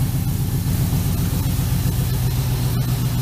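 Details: LS-swapped 1965 C-10 with P0300 code, after new coils, wires, plugs and injectors: low idle rumble stumbling unevenly now and then; misfire persists.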